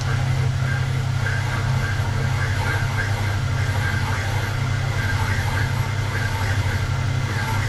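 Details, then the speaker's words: Peugeot 205 GTI cylinder head, hard exhaust valve seat being recut with a motor-driven cutter: steady low drone with uneven chattering cut about three times a second where the seat is out of round/distorted; cutter to be swapped for newer-style tip. "just start to come down onto the seat and what you should hear is it it'll cut quite unevenly where the seat is out"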